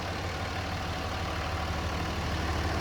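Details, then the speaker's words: 2005 Dodge Ram 2500 with the 5.9L high-output Cummins turbo diesel, 109k miles, unmodified. Quiet, steady diesel clatter at idle with an even beat, no knocking or uneven firing. No blow-by; a smooth, healthy idle. "like I said, there's no blow-by on this truck whatsoever. You can hear it, how smooth it sounds. There's no funky knocking or any of that stuff."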